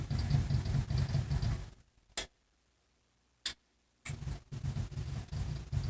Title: Goodman GE ECM rocking for position, no start